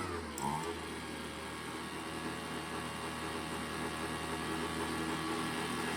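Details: Craftsman two-stroke leaf blower after setting the carburetor's low and high mixture screws by ear: a quiet, steady hum with no surging or hunting, not over-revving. Normal running.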